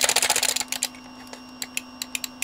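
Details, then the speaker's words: Neo Geo controller that had been acting up, microswitches removed, cleaned with contact cleaner and reassembled: a fast burst of crisp clicks, then single sharp spaced clicks, far stronger than before; switches snap cleanly, working properly. "sounds really good that sound like a far stronger clip than it was making before"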